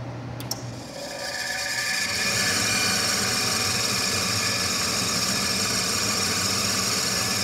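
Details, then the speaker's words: Bryant furnace on its second run with the gas off: a steady high-pitched squeal over the blower whir after rust from the ductwork fell into the fan; owner unsure whether to lube it or replace the inducer motor; squeaking blower motor. "it was a bunch of rust fell down in here from the ductwork and was all within the fan so I don't know if I have to lube it up or swap out the inducer motor to get rid of the squeak but you'll hear it in a second"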